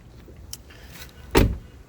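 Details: 2014 Jeep Grand Cherokee, intermittent no-start usually after rain: one sharp click at key turn, engine never cranks; owner suspects moisture-damaged starter plug-in connector or failing starter solenoid.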